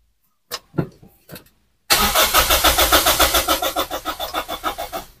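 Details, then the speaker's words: Toyota Vios, cold, won't start: brisk, strong cranking about three and a half beats a second that never catches; the starter is fine and the no-start cause is still being diagnosed. "Oke, untuk starternya ini enggak ada permasalahannya, untuk starter itu aman, kenceng, harusnya ini mau hidup ya."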